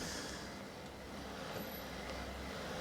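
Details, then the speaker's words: Bosch BDU2 (gen 2) e-bike motor after fitting the motor refresh kit for worn drive-side bearings, chain off, pedal turned: very quiet, smooth, even hum with no grinding or rattling, a big improvement over before. "There we go. One quiet or fairly silent motor"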